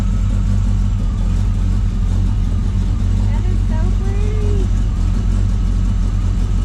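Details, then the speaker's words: 1932 Roadster, frame-off build, freshly rebuilt engine, electric fuel pump, first run warming up on a cold night: steady even low idle rumble, no knocks, skips or ticks; normal idle. "we've been waiting a long time to hear this thing run run and warm up"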